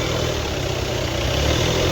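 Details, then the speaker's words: Audi Q3 2.0 TDI diesel after replacing the broken cam plate and refitting timing belt and cover: smooth, even idle with steady low rumble, earlier tak-tak knocking gone; engine now silent and healthy. "पूरा fitting हो गया हमारा car देख सकते हो एकदम silent हो गया अभी ये बंद करो स्टार्ट करो बरोबर है एकदम पूरा साइलेंट है पहले टकट टक करके पूरा आवाज मारता था"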